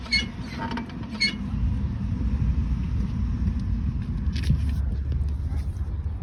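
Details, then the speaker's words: 2019 Lada Vesta, phone placed on the rear wheel while pressing the brake pedal: brief high squeaky creaks over a low rumble; the engine bay is quiet, service says it is a known Vesta rear brake issue, worn rear brake pads. "Я надеюсь всем прекрасно слышно Эти тонные звуки в общем-то получается что проблема где-то там находится а не здесь"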